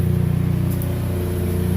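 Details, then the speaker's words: Chevrolet HHR that sat long with battery disconnected, after adding Dexcool, check engine light still on: smooth, even low idle with steady rumble and no timing chain rattle or ticking; an exhaust leak is suspected elsewhere. "She seems to be sounding sounds all right. No timing chain noise that these things are known for."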